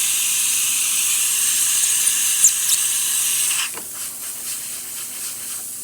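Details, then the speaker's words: Breville Oracle espresso machine after full service for an internal leak and growling noise: strong steady steam wand hiss purging, easing to softer spitting; steam pressure and temperature good, working normally. "great temperature for the steamer as you can see pressurizing and cleaning the"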